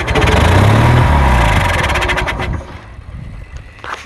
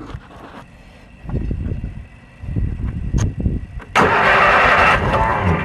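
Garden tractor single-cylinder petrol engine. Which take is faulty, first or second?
second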